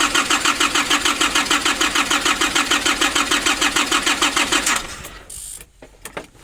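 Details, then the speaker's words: 2005 Nissan Urvan diesel, cold, sat for years, diesel pump pipes and bolt replaced, fuel filter primer being hand-pumped: even starter cranking about three beats a second for several seconds, never catches; fuel starvation to injection pump. "Like this, you need to have at least 2 people. One is pumping the diesel filter and one is cranking. So I'm going to try again."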